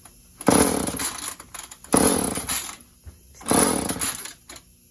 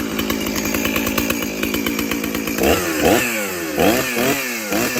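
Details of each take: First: Chainsaw run without bar or cover, kill switch broken, choke on: three pull-cord cranks, short rasping bursts that never catch; hard starting. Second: Stihl 034 chainsaw, cleaned up with fresh oil: fires right away and settles into a steady, crisp two-stroke idle with a few clean throttle blips; runs healthy.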